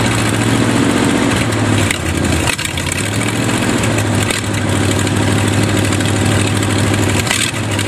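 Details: Used Chevy 350 small-block V8 on an engine stand, first run after purchase: uneven idle sagging and stumbling every couple of seconds; carburetor full of dirt, an idle circuit tube likely plugged, thorough cleaning needed.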